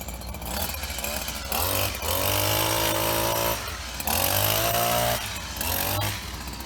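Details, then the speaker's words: Husqvarna 24H single-sided hedge cutter of unknown age, with replacement handle, cutting thick growth: two-stroke buzzes high and steady, dipping briefly as blades bite, then recovers; healthy running under load. "there we have it what's going on here 24 h unsure the age but the yeah we're pretty good got through some pretty thick stuff back there"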